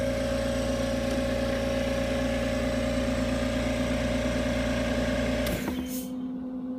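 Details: AMC 20 compressor after adjusting the pressure switch cutout to about 85. Steady motor hum at an even pitch, then a clean shut-off with a short hiss of release; normal cut-out.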